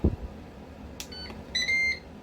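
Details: Ninja 15-in-1 pressure cooker: a short, clean electronic beep over quiet room noise as the function is stopped before pressure cooking. This is the cooker's normal panel tone.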